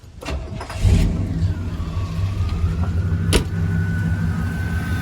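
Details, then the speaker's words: Chevrolet Suburban/Silverado truck engine, hot after a heat cycle, at steady even low-rumble idle with no misses, ticks or knocks; running smooth, though the owner suspects a hint of the earlier problem remains and ignition timing needs slight adjustment. "Need to turn down the ignition a little bit. But like this is running great. Obviously 100 times better than it did before. You can hear it's really really smooth back here."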